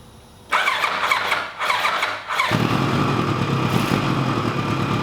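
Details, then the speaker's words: 1986 Kawasaki GPZ1000RX after cooling-system work, fed by a gravity fuel drip: brief starter whine, quick catch, then a steady, even idle with no misses, no leaks and no smoke. Normal running. "well that sounds fantastic and there's no leaks there's no leaks whatsoever and there's no smoking this time"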